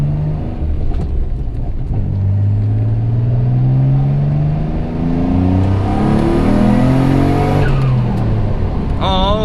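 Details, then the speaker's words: Freshly rebuilt forged twin-turbo Mitsubishi 3000GT VR4 with new ignition coils: revs climb smoothly to about 6800 rpm with no break-up, where it used to break up past 5000 rpm. A clean, healthy pull. "that's the highest rpms i've ever been it didn't break up either if you remember and it was breaking up after like five grand i just hit like 68."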